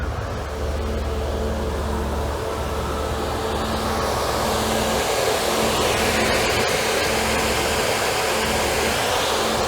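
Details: 1992 Mercedes-Benz 300E W124, about 150,000 miles, idling on a roughly 98–100°F day with AC on, auxiliary high-speed fan switched on from the dash: steady even rushing whoosh with constant hum, no rattle; electric cooling fan healthy at high speed.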